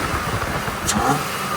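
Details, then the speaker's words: 3rd-gen Toyota 4Runner that had stumbled and stalled at a red light, revved after MAF sensor and throttle body cleaning. It picks up cleanly with a smooth, even note and no stumbling or popping; the rev sounds healthy. "Sounds good. I think that fixed it."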